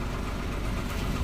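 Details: Ashok Leyland Bada Dost BS6 diesel truck, started at night after a no-start caused by a carbon-fouled fuel pump relay that was cleaned: steady, even low idle rumble, no stumbles or knocks; engine running fine.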